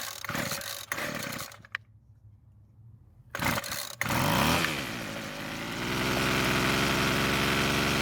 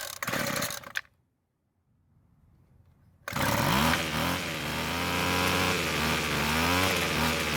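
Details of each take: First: Rebuilt Weed Eater two-stroke trimmer, after turning the L screw a quarter turn counterclockwise for more idle fuel; catches after a few pulls, revs briefly, then holds a steady buzzing idle without dying; fix worked. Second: Weed Eater two-stroke trimmer, somewhat rebuilt, after richening adjustment; starts at full choke, runs at half choke, but buzz cuts out abruptly at idle then restarts and climbs; lean idle stall, owner plans L screw quarter turn counterclockwise.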